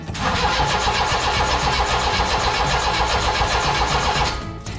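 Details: Mitsubishi Minicab U42T with no ignition spark, after cleaning corroded distributor connector contacts: steady cranking at about four beats a second with no catch or firing; distributor fitted 180 degrees out, plug wire firing order being rechecked.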